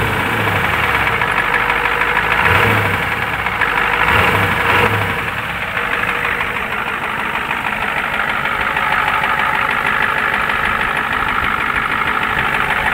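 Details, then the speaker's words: Warm used '93 IDIT diesel in a '93 truck at idle: loose, uneven knock of about three per second, worse the warmer it gets and present when decelerating with the key off, so not fuel-related. Owner suspects a lifter or rod knock. Unconfirmed. "it does it even when you're decelerating with the with the key off so there's no fuel to it so that makes it not a fuel the warmer it gets the worse it sounds"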